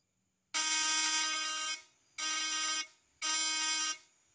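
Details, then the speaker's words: Ignition coil vibrator (platinum points) tested with a known-good new condenser: three strong, steady buzzing bursts, clean and even with no growl (not "ngorok"); secondary output then exceeds 250 V AC, condenser healthy. "suaranya langsam atau kenceng dan tidak ngorok"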